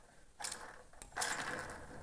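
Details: 2020 Honda Fan 160 engine, cam chain gear and rocker removed: two short bursts of gritty ratcheting rattle as camshaft is turned by hand; worn camshaft bearing with excessive up-and-down play causing engine noise.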